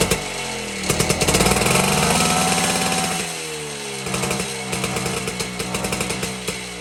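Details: 1952 BSA D1 Bantam engine in a test rig, first start in over two years after tickling the carburetor; crisp rapid two-stroke popping rising and falling with throttle, firing evenly without misses: normal running.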